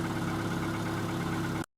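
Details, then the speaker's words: Car engine idling with the brake booster tested after pumping the pedal engine-off; pedal sinks slightly on start, a working booster. Steady, even idle with no suction hiss, whistling or vibration, so all is fine; a hiss could mean the vacuum hose to the intake manifold. "Donc là, on n pas de bruit d'aspiration, on n pas de bruit de sifflement ni de vibration. Donc tout va bien quoi."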